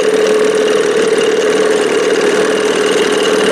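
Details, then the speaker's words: 1987 Johnson 6 hp outboard on its final run, silencer tube cut out: loud, steady, high buzzing drone at even pitch, running excessively loud. "It was so freaking loud. I was like, man, this thing needs a silencer on it. I had this thing set at one point. I mean, it sounded like a racing engine."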